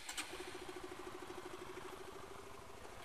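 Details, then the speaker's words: Supra GTR 150 (K56 series) engine idling with a fast, loose metallic clatter of about three knocks a second, the known "klotok" top-end noise. Owner plans a manual cam chain lifter tensioner fix; cause not confirmed. "Nih, jadi yang dimaksud dengan penyakit klotok-klotok di K56 series itu kayak gini nih. Semua kedengeran ya. Dulu berisik."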